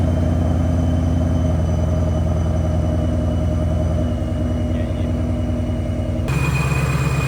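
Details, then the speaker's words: Supercharged car on E85 with refreshed ESS G3 blower, cold start idling about 750–800 rpm; even, steady idle with normal blower whistle and howl, straight-cut gear slightly rocky, no knocks or misses. "So everything runs fine now, cold start. Sounds good. Can't really notice anything too much on cold start."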